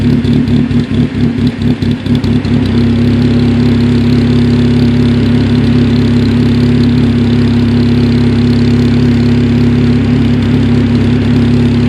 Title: Cobalt SS rough idle